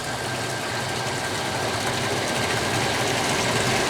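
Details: Texmo Aquatex 0.5 HP centrifugal monoblock pump HCS430 loaded from 10 to 15 m head toward about 15 m, current falling from 3.6 to 3.3 A: steady, even whir and water rush, no knocking, rattle or surging; healthy.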